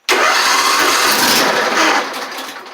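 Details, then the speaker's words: Mower not cranked in a while, started on a new 480CCA lithium battery: short quick strong crank catches almost at once and settles into an even run; normal cranking and start. "The 480 cold cranking amps should be more than enough to crank this over. This mower hasn't been cranked in a little while, so it may take a few seconds for it to kick over, but this should have plenty of capacity to be able to do that."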